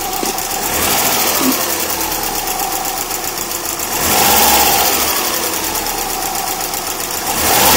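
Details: Subaru EJ20K engine at idle: a light, fast ticking over a steady idle with a lot of hiss; the owner suspects piston slap, the timing belt tensioner, the AC or the lifters, and the cause is unconfirmed.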